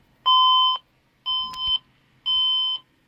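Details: Computer that won't boot beeps at power-up: three identical half-second high beeps about one per second, repeating, with the machine never booting. The code's meaning is unknown; the owner plans a new motherboard.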